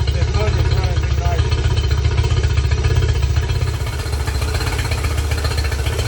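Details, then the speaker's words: Yamaha 50HP (T50) outboard that had sat a while: uneven lumpy idle with an irregular beat about four per second and a stumbling exhaust note, running on three; a dead-cylinder misfire. "nd it sounded like it it sound like it was running on three and you red it a couple times and it sounded like it popped like it popped into Maybe forward"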